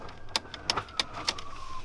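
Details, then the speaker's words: Turbo 2 Mazda RX-7 rotary, not started in six years, wiring and grounds sorted: four sharp clicks about a third of a second apart with no cranking; starter not spinning, probably seized, replacement to be ordered. "all right so that plug was it it wasn't spinning so starters probably seized and so i have to order that as well"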